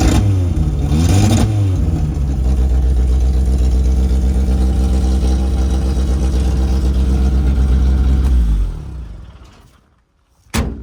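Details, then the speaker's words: 1988 Suzuki Samurai, parked since late 1990s, straight-piped with no exhaust, restarted: loud raw deep burble about four pulses a second, steady with no misses, then clean shutoff; normal running. "I got to put on my earphones in case it fires up because, like I said, it is straight piped, as you can hear. There's no exhaust at all on it."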